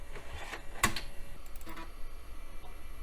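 Quiet room with a few sharp ticks and short whirring seeks, the steady clicking of a floppy drive reading normally.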